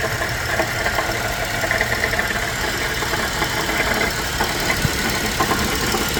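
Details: GMC Acadia, noise appeared suddenly minutes after driving well: engine running with busy, uneven tapping over a rough hum; owner wonders if the catalytic converter internals broke apart; in shop being diagnosed, not confirmed.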